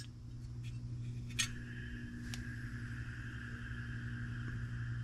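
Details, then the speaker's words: Napoleon NPS40 pellet stove draft inducer blower motor, removed and spun by hand during cleaning: thin rough whirring ring over low room hum from worn bearings. "let's see if this is noisy yep I can hear the bearings"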